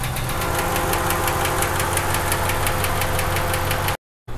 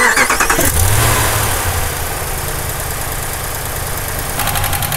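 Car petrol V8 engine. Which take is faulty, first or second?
first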